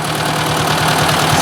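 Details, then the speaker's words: Ford 800 tractor, test drive after cleaning and adjusting the points, about 5°C spring day: steady engine note with a light regular tapping still ticking in the top end, not as bad as before; cause not identified. "jeez i can still hear that tapping that's not good i didn't want to hear that"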